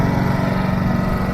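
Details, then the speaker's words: Honda EU2200i Companion generator warming up before an oil change so oil flows better: steady, even engine beat with low smooth drone, no knocks or misses; normal running. "warming up the generator and warming up the truck it'll make that oil flow a lot better"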